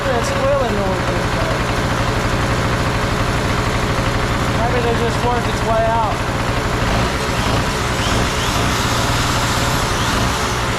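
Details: Trash-found Harbor Freight Tailgater two-stroke generator after carburetor bowl cleaning: loud, steady buzzing note with even firing, no misses or surging; runs smoothly.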